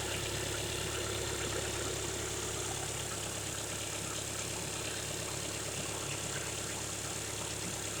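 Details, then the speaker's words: 2015 Volkswagen Golf TDI SportWagen diesel, 150 hp, in neutral, idling after startup; radiator fan running, loud mainly from the grille: steady even diesel clatter, smooth low drone with fan hiss; healthy normal idle. "I just think it's a good idling sound."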